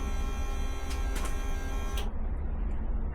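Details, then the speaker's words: Ducati 750SS that sat for years, first electrical power-up during restoration: at key-on the fuel pump gives a steady electric buzz and thin whine and keeps running instead of priming and shutting off; cause unknown. "That's the sound of the fuel pump. Wow. This never happened before. I'm not sure why it's not stopping."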